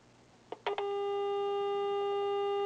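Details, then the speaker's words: Gallien-Krueger Backline 115 solid-state bass amp with no output: 400-cycle signal traced with a probe at the input jack. Probe clicks, then a clean steady tone. Test signal present at the input. "I assume you can hear that. We got signal at the input jack."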